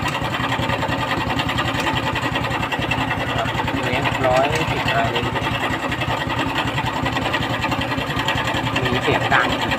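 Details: Honda Wave 110i running with a busy, uneven ticking clatter from the top end over the engine note; cam chain and chain tensioner roller suspected as the source of the noise, not confirmed.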